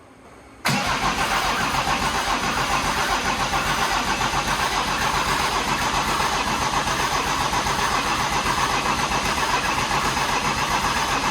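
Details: OM606 turbo diesel in a Datsun 240Z, oil drained, cranked to build oil pressure before first start in the car: abrupt steady cranking near four beats a second that never catches; healthy starter, normal cranking.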